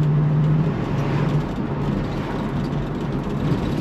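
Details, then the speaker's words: 1966 Ford Mustang 289 V8 on road test over rough pavement with potholes and manhole covers: steady road drone and engine hum with no clunks, bangs or rattles; suspension sounds tight. "Et généralement c'est assez révélateur, c'est là qu'on entend vraiment les bruits de guimbardes, de casseroles. Voilà, on est en plein dedans là."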